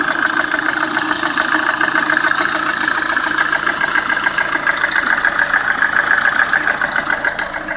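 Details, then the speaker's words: Lada Priora after bent-valve repair, piston group replaced with 124 parts, ~3000 km later; warm idle, sharp even knock about 3.5 per second, present cold and warm to ~70°; owner unsure whether piston or hydraulic lifters; ZIC 10W-40 oil seemed quieter. "Я прогрел уже автомобиль вот так на холостом ходу отчётливо слышен стук"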